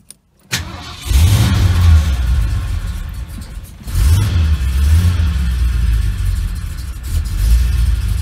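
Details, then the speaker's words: 1975 Ford Ranchero after starter relay and starter motor replaced: brief crank catches within a second, firm revs, settles to an even run; starts cleanly, idle perhaps should be a little higher. "there we are easy as that [Music] running nicely the truck's still on"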